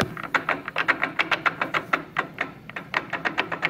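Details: 10EE headstock threading gear train: fast, fairly even clatter of about seven ticks a second from the headstock gears, the same in left- or right-hand thread setting; gears show some wear, and worn gears with excess backlash are suspected, not confirmed.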